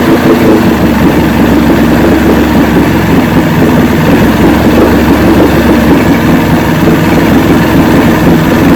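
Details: 1970 85hp Evinrude two-stroke outboard with hydroelectric shift, 50 years old, new water pump impeller, idling in neutral in a water container after reverse test: steady even low burble, no misses, knocks or surging; carburetors judged good at idle.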